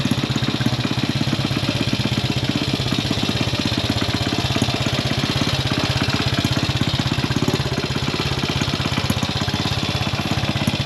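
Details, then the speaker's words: Classic Italian Gilera 124 5V lightweight, fresh off the workbench, on its first proper road run: slightly uneven beat with occasional pops, running a touch rough. Owner suspects it is only carburation; jetting, plugs and points timing are still to be checked. "how was that uh Popp on it's not running right okay but work in progress yeah it's only carburation"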